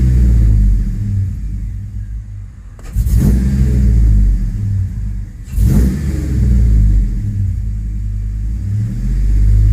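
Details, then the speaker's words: 2005 Chevrolet Tahoe 5.3L 4x4, new fuel pump, rough running and stalling, P0174 lean: revving under load in reverse, headlights dim and the deep rumble stumbles and surges unevenly, misfiring. "guys when i go give a gas in reverse look at our headlights our headlights dimmed out and that thing starts misfiring"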